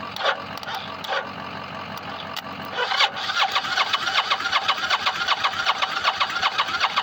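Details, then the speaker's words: Motorcycle that ran fine four months ago before running out of fuel and has a fuel pump that won't engage, cranked: slow starter cranking under three turns a second with only an occasional pop; no fuel reaching the carbs. Pump, battery and starter solenoid need replacing. "Yeah. All I get is an occasional pop. Every now and then it'll pop and that's it. Yeah, that's it. because it um this thing won't feed fuel to the carbs."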